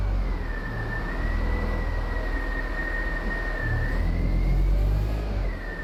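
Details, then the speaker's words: Abandoned, long-stored Land Rover Freelander after first revival: steady even engine hum with no tick or tap; running really well and sounds healthy. "I've actually got to say it's running really well now. There's no ticking at all. Engine sounds really, really sweet."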